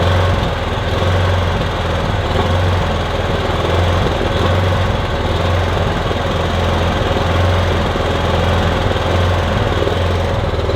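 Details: Kipor Sinemaster IG2600 digital generator, stored in a garage for years, running on choke with starting spray, cold: steady drone that swells and dips unevenly, running rough; owner hopes it smooths out as it warms.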